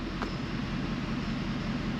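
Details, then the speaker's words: 2011 Ford F550 6.7 Powerstroke diesel at idle that knocks and keeps blowing return lines apart. The rapid knock persists with one good injector cut out; shutting down injector 4 makes it go away. Injector knock. "the knock is still there we'll go back okay so listen to what happens when injector 4 gets shut down our noise goes away"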